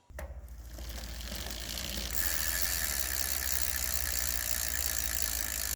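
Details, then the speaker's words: RCB GK2 mountain bike, wheel spun: rapid, even clicking from the freewheel pawls with light chain whir; an ordinary freewheel working normally. "एक सामान्य फ्रीव्हील। इसमें कुछ खास नहीं है, लेकिन यह काम करता है।"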